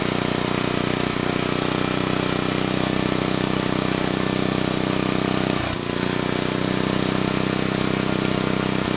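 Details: Old Troy-Bilt Horse I tiller, single-cylinder, after valve cleaning, a new plug and a replacement carburetor: uneven idle with an occasional sharp pop breaking the rhythm. It still backfires but sounds better; the cause is unconfirmed.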